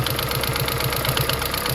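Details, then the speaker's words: Toyota Prius hybrid with P0304 code: rough idle with an uneven pulse and popping stumble from a cylinder 4 misfire, caused by a broken injector wire to the ECM (open injector circuit), after coils, plugs and injectors were replaced. "I've been hearing some popping noise coming from the engine, but I can't move from that."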